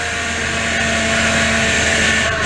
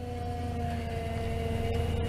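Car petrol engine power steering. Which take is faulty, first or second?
second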